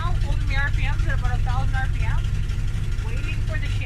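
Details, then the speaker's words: Fox-body Mustang with automatic, cold start on a cold morning: low, uneven, shaky engine rumble at raised idle, idling very badly until warmed; smoothens later, cause not confirmed. "so when i start it all right as you can see here it's idling very bad"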